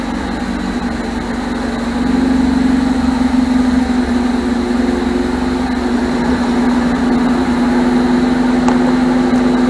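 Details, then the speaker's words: 1978 MGB after rebuilt carburetors were fitted and the ignition points deleted. Idle firms up and evens out after a couple of seconds, with faint unevenness remaining. The owner suspects the distributor, or carbon around the valves blowing out. "Okay, she's coming alive. She's coming alive. Little by little. She's starting to idle a little smoother too."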